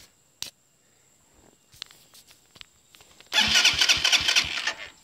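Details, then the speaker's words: 2018 Serpento Taypan 200cc special-edition motorcycle, single cylinder, started in neutral with clutch pulled, barely any throttle and no choke: a few clicks, catches first try and settles into a steady even idle; normal start. "You have to give it barely throttle, but no choke. For a full engine, it's not bad with no choke."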